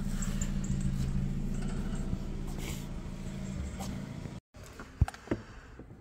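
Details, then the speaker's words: Ford Fiesta, listened at the exhaust at idle: low, slightly uneven rumble with an occasional stumbling beat and soft pops; engine misfire. "at the moment it's misfiring or stuttering yeah you can hear it in the exhaust this is a good way also tell if your car's misfiring go to the exhaust listen to yeah pops that's misf"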